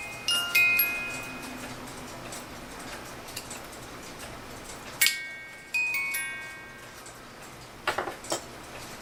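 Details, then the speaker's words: Pre-1970 cuckoo clock music box: bright tinkling notes briefly, then stops dead and restarts in short bursts; broken governor gear tooth causes hang-up. "one cuz it shouldn't be let's say hanging up play beautiful and hang up play play beautiful and hang up"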